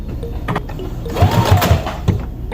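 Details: New CS6000i sewing machine sewing thin fabric, with the thread repeatedly breaking. Short bursts of stitching carry a dull, repeated knock that the owner asks if is normal: a knocking noise.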